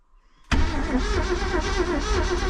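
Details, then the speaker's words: 1966 Ford Galaxie with EFI swap, first start attempt after priming: starter spins engine at steady even churn but it never catches; timing slightly off and EFI not running fuel pump (pump not heard cycling); crank no start. "Baby, the timing's a little off and for some reason it's not running the fuel pump."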